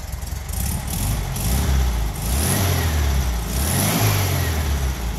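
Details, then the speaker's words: 1974 Karmann VW Beetle air-cooled flat-four, freshly built and turnkey; fires right up with no smoke, idles with an even low rumble, steady beat and small swells; smooth normal idle. "can hear the engine idles nice and smooth sounds great when it revs fired right up no smoke this car is truly dialed in"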